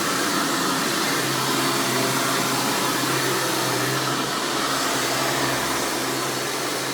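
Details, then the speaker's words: 1996 Hoover Spirit (Elite) U5067-930 upright vacuum running: loud steady high-pitched motor scream over an even low hum, no rattles or surging; healthy normal running. "and you can hear this and all its screaming overly loud hoover glory"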